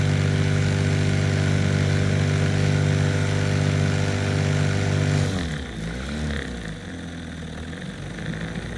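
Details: Outboard on an abandoned jon boat that sat since before winter, with unknown running condition. The small two-stroke holds a steady, even buzzing idle about five seconds, then cuts out and winds down to silence.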